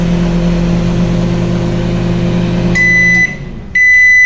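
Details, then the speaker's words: Panasonic microwave heating water after the burnt mica waveguide cover was removed: steady low hum, no popping or crackling, then two end-of-cycle beeps; normal operation. "Funcionou legalzinho, bonitinho, não pipocou, não aconteceu nada."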